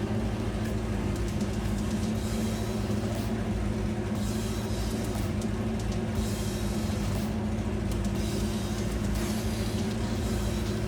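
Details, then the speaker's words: 1963 Chevy C10 small-block V8 being restored, with 2.5-inch exhaust manifolds and newly fitted downpipes; deep, loud, steady V8 rumble with a lumpy cam chop underneath, even and strong throughout: normal rev with aftermarket exhaust. "That thing is still a loud truck. The back and coming out of that exhaust finally sounds great."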